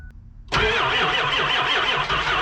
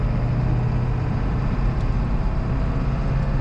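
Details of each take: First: 2001 Ford F-550 7.3L Powerstroke, sat all weekend at about 0 degrees, not plugged in, glow plugs cycled: slow, labored cranking at two or three beats a second that never catches; batteries too weak, no start. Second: 2001 Ford F-550 7.3L Powerstroke on a road test through the gears under load, after new exhaust manifold gaskets and BD up-pipes fixed leaking manifolds: deep, even, smooth drone, no exhaust ticking or puffing; leak fixed.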